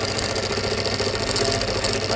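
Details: Pedestal stand fan making a loud noise before repair: a loud, constant rattling drone with a harsh buzzy edge; loose fan motor bearing in its seat.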